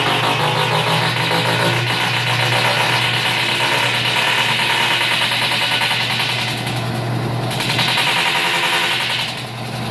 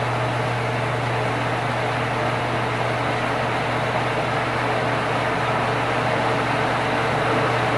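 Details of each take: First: Stackable washer-dryer combo during spin makes heavy, rapid thrashing and banging in surging waves, about three and a half hits a second; cause was a broken tub support weld, fixed by welding in quarter-inch metal. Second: Old Sears Kenmore stackable washer-dryer after repair of a loud noise: steady low hum with an even watery rush and no rattles or grinding as water is slowly pumped out; normal drain pump-out.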